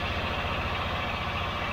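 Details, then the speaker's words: Rover V8 with new camshaft and new hydraulic lifters, oil pressure primed, at about 1500 rpm: even, smooth pulsing with no ticking or tapping; the earlier lifter tap is gone and the valvetrain sounds healthy. "no leaks nothing nasty just keep an eye on the coolant levels that's happy enough i'll report back once i bend it in well that sounds a lot happier doesn't it mr tapity is gone"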